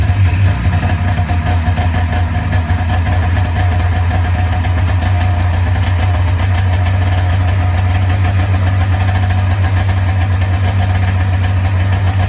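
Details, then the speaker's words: 1994 Polaris Indy 440 two-stroke snowmobile running again at idle, start/stop switch unplugged: steady, even, fast burble with no misses or knocks, a clean healthy idle, though smoking. "all right so she runs actually sounds like it's idling pretty damn good right now"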